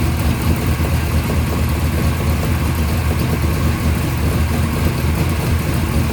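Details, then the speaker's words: First startup of a freshly rebuilt 580 Mopar stroker on a run stand with headers and mufflers, timing at 33°, about 1,400 rpm, 65 psi oil pressure; deep, lumpy V8 idle with even pulses through the mufflers, no knocks or misses, healthy. "It seems pretty happy. We were about 1,400 RPM. Those mufflers definitely chill this thing out."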